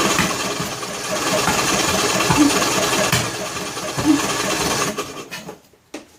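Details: John Deere L100 lawn tractor engine, cranking on choke with valve cover off: rough uneven cranking with occasional sharp pops, then dies; hard start, owner suspects broken flywheel keyway throwing timing off or valves not sealing, unconfirmed.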